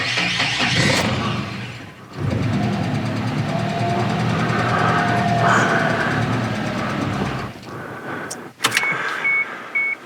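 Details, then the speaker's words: Tracker tow vehicle after the throttle position sensor was recalibrated and the cleaned idle air control valve was refitted: rough, uneven idle with new ticking and no codes. "now it sounds even worse now it's ticking why is it ticking no codes this time none of the fixes are working"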